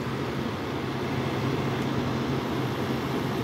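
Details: Frigidaire window AC unit, unused since April of the previous year, on cool set to 66: the compressor kicks on after about 10 minutes with a steady low hum and even airflow, no knocking or rattle; running normally.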